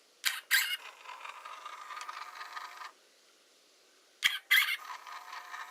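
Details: Hasselblad Winder CW: two short winds, each opening with a sharp high squeak and followed by a faint whir; dry, squeaking winder drive.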